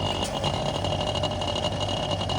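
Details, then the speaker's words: Voltas VC Cooler showcase fridge, supply voltage 230V fine, fan not touching; steady loud compressor drone with harsh rattly chatter and high whistle from internal piston, tapping didn't help, compressor to be replaced under warranty. "इसका main दिक्कत जो compressor के अंदर में जो piston रहता है उसका से आवाज आ रहा था।"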